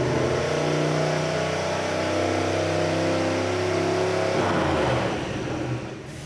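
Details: 1974 Mazda RPU with turbocharged mid-mounted 5.3L LS4 on E85, first dyno pull: engine held at high revs, note ragged and uneven, running badly; traced to a dead, misplaced O2 sensor, later replaced.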